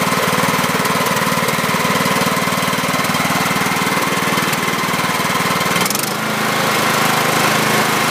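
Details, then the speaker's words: 2006 John Deere L110 with Kohler Command 17.5 hp, sat two years, after new battery, stale gas drained, overfilled oil reduced: even steady single-cylinder putter settling smoothly after throttle change, no misses or knocks; slight oil burning off muffler. "so that turned out pretty well i'm happy with that a little bit of oil burning off of the muffler"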